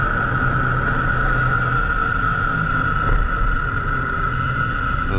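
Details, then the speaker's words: Car driving at road speed, noise usually starting around 30-45 mph, picked up by a chassis microphone at the front left wheel. Steady droning hum with a gritty buzzing-grinding edge; bad front left wheel bearing found as the source. "that's definitely the source of our buzzing grinding coming whatever you want to describe it as noise number two"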